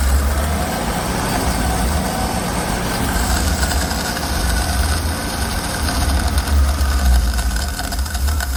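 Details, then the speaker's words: Frank's 250 CID six-cylinder with new Daytona carburetor and fuel pressure regulator, hot restart at zero PSI: low uneven chugging drags several seconds before settling; fuel suspected still leaking into carburetor, less bad than before regulator. "So, what that tells me is that there's still fuel leaking into that carburetor. Uh when there was like 6 PSI during that last startup it fired right up. Uh didn't have to do anything. This time, there was zero PSI and I had to crank it a little bit."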